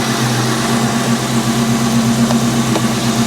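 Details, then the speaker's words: Salvage-auction V8 car on a Copart lot, with a service engine soon light, airbag and brake lights on and no brake pedal, likely a Diablo Sport tune: steady, even lumpy idle at about four pulses a second, no ticks or knocks; sounds very nice, normal idle. "she sounds very very nice"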